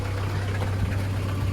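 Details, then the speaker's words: VW Caddy pickup diesel, running on a very low battery; low even diesel hum at idle with steady beat, no tapping or rattles. Normal idle, engine seems good. "The seals are good, outer and inner. And the engine seems good."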